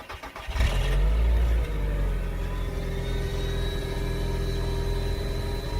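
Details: 2001 Mk4 VW Golf, 1.8T AWP turbo engine, stock exhaust before removal: brief crank, catches and flares, then drops to a steady even idle with a faint high turbo whistle; normal start and idle.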